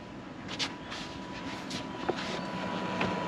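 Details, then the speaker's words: Diesel-powered air heater in a VW T28 TDI Leisure Drive Vivanti camper just kicked in: soft steady roar with a thin constant whir and no knocks; normal diesel air heater operation. "Right, you can hear the heater now. The heater's kicked in."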